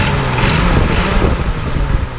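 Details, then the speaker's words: 1936 Ford Model 68 V8 Fordor sedan with an electric fuel pump, revved warm after driving: faint airy puffing in the deep rumble from a small exhaust leak, with a little valvetrain noise also noted; it does not overheat. "hear that little bit of an exhaust leak uh as well"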